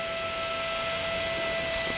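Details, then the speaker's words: Gulmay microfocus X-ray tube high-voltage power supply powered from 230 V AC via a variable transformer and main breakers. Its 36 V DC cooling fan runs with a steady mid-pitched whine over airy hiss, even and rattle-free: normal. "And now you can hear this fan. It's a 36 volts DC fan."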